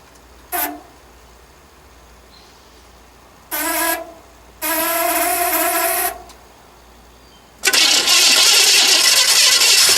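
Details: 1970 Chevrolet Impala, dual-point distributor after gapping one closed point set, dwell meter hooked up. Short cranking bursts fire briefly and die, then a rough catch; won't keep running, owner suspects timing is off.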